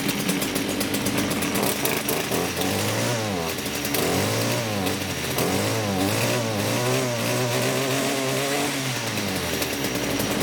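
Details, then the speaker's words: STIHL FS56 two-stroke trimmer after a clutch repair for a loud squeal: it revs up and down cleanly with no squeal, and the head no longer spins at idle, so the clutch engages and releases properly. "So that did the trick, guys."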